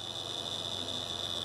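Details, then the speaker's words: 2010 Volvo V50 1.6 diesel (Ford DLD-416), Bosch suction control valve on the high-pressure fuel pump, fault code P0089. Valve removed and un-stuck, harness plugged in, ignition at position two. A steady thin high buzz over soft hiss: normal coil vibration. "if you want to check that the coil is active on the suction valve what you can do is plug in the harness turn the ignition to to number two and you'll feel it vibrating"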